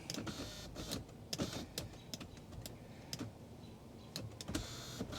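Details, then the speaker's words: 1995 Mercedes E320 wagon power seat after replacing the W124 seat control switch: small electric motor whirs in short stop-start bursts as the seat moves. Better than before but uneven; owner suspects a worn motor cable. "see I think one of my cables for the motors is a little worn"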